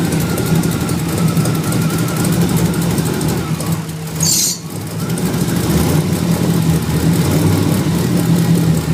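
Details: 1994 Ford Mustang petrol engine idling with an uneven, lumpy throb instead of a smooth steady hum: rough idle.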